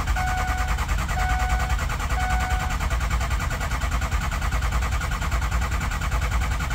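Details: Ford 6.0 Powerstroke diesel with high-pressure oil problem, after cleaning a scored component and reassembly, possible air in system: steady starter churn about one beat per second with tones over it, never catches; no start, cause not confirmed.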